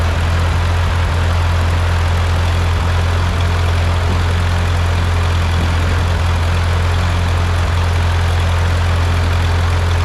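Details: Ford 8N tractor with freshly rebuilt engine, first start after rebuild with piston rings still seating: low, steady, even deep idle hum with no knocking or misses; sounds really good, normal healthy idle.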